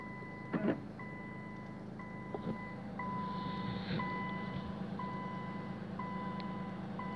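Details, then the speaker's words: Nissan GT-R twin turbo, not driven for three weeks, on second start attempt with jump leads: steady two-tone warning beeps about once a second, no cranking or firing; flat battery, failed start. "shall i go shall i start her now [Music] so this is the second attempt it's starting"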